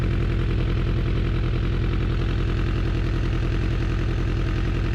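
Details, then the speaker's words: 2004 Suzuki Katana under restoration, running off a remote fuel tank after an idle adjustment and warming up after cooling a little. Even, steady, quiet four-cylinder idle with a smooth low thrum, no misses or hunting. "sounded smooth got a little cold setting so to be all right let it warm back up for a second uh in my experience all super cold nature he's idling good that's quiet"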